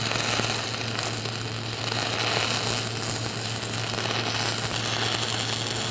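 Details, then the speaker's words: Stick (SMAW) welding with a 6010 electrode using a whip technique, stepping 1/16 to 1/8 inch per deposit: harsh continuous crackle and sizzle over a steady low buzz, no sputtering gaps; arc burning normally. "Then I'm going to come in and put another one right in front of that, 1/16 to an 1/8 inch. And the concept is kind of like a roll of dimes. I should have a dime on a dime on a dime every deposit."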